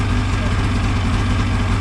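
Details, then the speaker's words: Ski-Doo 550F two-stroke snowmobile engine at idle after cylinder reassembly, a repair for two broken cylinder studs. It started after pulls with the choke off. The burble is deep and steady, with no knocks or misses, and sounds good. "Let's give her a shot. That was a success. Sounds good."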